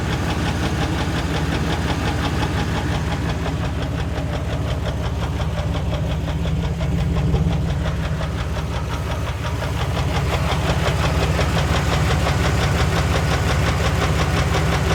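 An idling engine with a steady, deep, rapid knock from the bottom end, typical of rod knock. Cause suspected, not confirmed.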